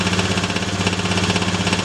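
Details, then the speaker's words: Honda Beat FI injection scooter, hard-starting from weak fuel spray, now fixed: single-cylinder settles into even steady idle with regular pulse, no misses or knocks; normal idle, revs freely. "ah tu sekarang sudah normal kembali sudah bisa digas seper ini ya"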